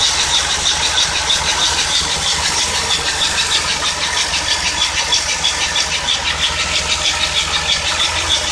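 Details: Cold idling car engine on cold start gives a sharp, high-pitched squeak repeating about three times a second.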